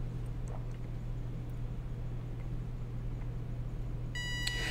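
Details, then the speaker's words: Elegoo smart robot car DC gear motors driven by L298N with PWM value 50, too low to start: steady low hum, wheels stalled and not spinning, but they start if nudged by hand. "they're really humming I think you could probably hear them humming let me try this again I'll hit reset but they're not spinning"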